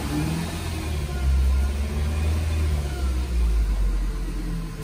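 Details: Nissan Grand Livina revved; its rough noise had come from a faulty AC pulley bearing; engine revs up and settles smoothly with no bearing growl or rattle.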